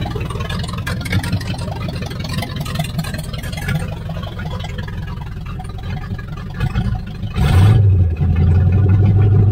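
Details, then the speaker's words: 1978 Chevy Nova V8, likely 305 two-barrel, abandoned 25 years: uneven, loping low idle then a sharp rev; choppy idle, owner wonders if it has an aftermarket cam, cause not confirmed. "Well, guys, I'm wondering if this has a cam in it."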